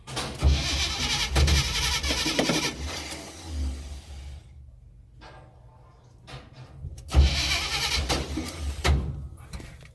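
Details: 1984 Chevy hard starting: two long bouts of steady starter churning, about three and a half beats a second, engine never catches; prolonged cranking.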